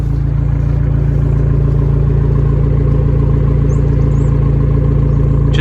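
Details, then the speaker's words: Abarth 595 Turismo in cold weather: deep steady burble at idle, even pulses, no misses or knocks; normal healthy idle. "For those of you that want to know what the normal idle sounds like, guys, this is what it sounds like normally when it's just idling, and it sounds beautiful."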